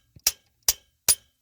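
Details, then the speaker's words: Ford 6.0 Powerstroke injector cup being driven in: three sharp, ringing metallic hammer strikes about 0.4 s apart. The cup has bottomed out and is fully seated. "bottomed out that's the sound it's in it"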